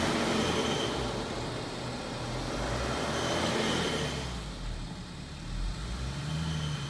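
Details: BMW F15 while driving: a faint, thin high whistle sits steadily over the engine and road noise, pointing to a whistling turbo.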